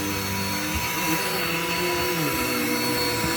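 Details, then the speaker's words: Dirt Devil with automatic height adjustment on a very thick shag rug: motor whine sags in pitch as the head sinks into the deep pile; the vacuum is labouring and bogging down. "This vacuum hates this rug. Why is that? It's a very thick shank tile rug."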